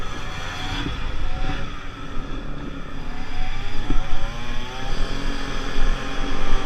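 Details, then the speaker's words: 50cc two-stroke Pulse Force scooter accelerating on a road test after a fuel-starvation fix, 14-stone rider, reaching 37 and still picking up: buzz climbs smoothly through the revs under wind noise, no stumble or bog; normal running. "I don't know if the camera saw it, it hit 37 there, but I promise you it was still picking up."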